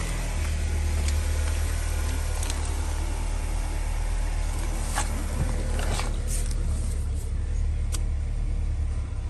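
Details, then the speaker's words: 2016 Chevy Cruze 1.4L Ecotec turbo, run low on oil, after replacing only the exhaust-side camshaft sensor: low, droning idle with uneven clicks and stumbles, still rough; P0017 code remains, fault not cured. "still acting up let's read some codes after replacing the camshaft sensor on the exhaust side the only code was popping up now was the p0017"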